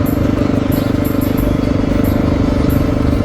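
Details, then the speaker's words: 2000 Honda XR600R single-cylinder, recorded during road riding: even, steady beat with no ticking or uneven firing, runs smooth with good power; owner senses the cam chain may be dragging on worn sliders; normal running. "about the only thing i can say about it is it i mean it runs smooth and it's not ticking or anything like that"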